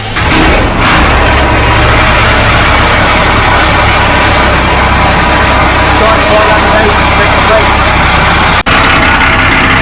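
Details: Freshly rebuilt transporter truck diesel (Cummins turbo diesel per tags), first run after the rebuild: steady, even diesel clatter at idle with a firm low rumble and no knocks or misses; normal idle.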